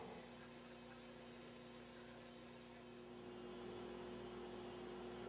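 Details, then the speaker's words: Philco 39-30 tube radio, first power-up after recapping: steady low hum with sustained howling feedback tone that holds unchanged, limiting volume; caused by missing shield on the 75 tube, fixed by installing the shield. "so we've got hum yikes some feedback see if i can pick anything up"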